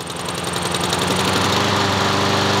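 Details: Honda lawn mower with auto choke deleted and converted to manual choke cable with new carburetor, full choke: fires on first pull, steady even single-cylinder patter with no misses or knocks; normal running.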